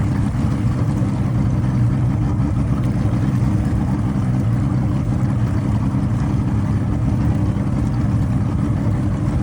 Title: Motor misfire after it stalled